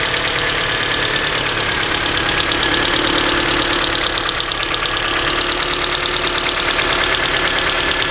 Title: Ticking noise coming from the head after the valves were adjusted.